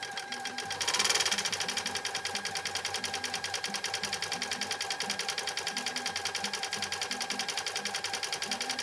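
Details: 1980s New Home SL2022 all-mechanical 1.0 amp sewing machine after repair, decorative stitch, length 1 width 6: even light ticking about 3.5 per second, steady, quiet, no clank; running smooth and healthy.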